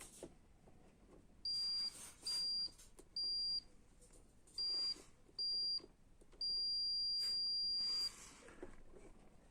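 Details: Canon i-SENSYS MF4410 printer control panel button checked with continuity tester on its contacts: six clean high steady beeps, one per press, last held longer, so the contact closes properly and the button works.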